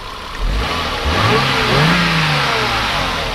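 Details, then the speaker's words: Smooth free rev of the 1992 Mercedes-Benz 300CE W124 coupe 3.0, about 26 years old, climbing from idle to a moderate rev and back evenly with no knock or miss; healthy. "just gonna go ahead and rev it up a little bit"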